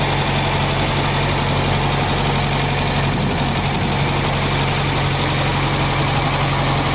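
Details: 1965 Australian-built small-window VW Beetle, air-cooled flat-four idling on an old 6-volt battery: steady, even chatter over a constant low hum with no misses or knocks; engine very healthy with only a slight oil drip; normal idle.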